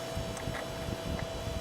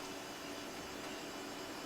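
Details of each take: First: Dirty Sunbeam circulator fan, first start of the season, on low: steady airy rush with a thin mid-pitched whine on top; owner thinks it needs oiling and cleaning, but it still moves a fair amount of air. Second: Modern fan, never oiled, first start of the season, running on low with oscillator off: steady, even whoosh of air with a soft low hum and no ticking or rattle, working better than anticipated.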